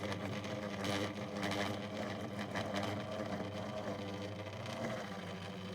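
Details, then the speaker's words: 2002 Lloytron F029 9-inch desk fan on high speed while oscillating: rough, uneven rasping whirr, motor straining and labouring. Low speed also sounds raw; cause unconfirmed, motor suspected. "Oh, that sounds nasty. I'll have to switch it off if it's going to really struggle."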